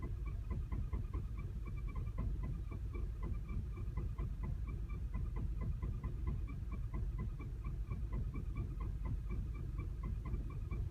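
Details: 2010 VW CC, 29k miles, clutch replaced and transmission bled under a week earlier: uneven, lumpy low-rpm idle with shaky rumble and irregular ticking, like a misfire, with flashing check engine light; smoother at higher rpm.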